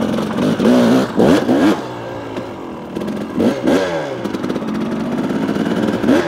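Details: 2018 KTM 300 XCW two-stroke fitted with an XTNG carburetor (replacing a 38 with power jet): crisp blips rising sharply in pitch then dropping straight back to a steady idle without hanging; clean, predictable throttle response.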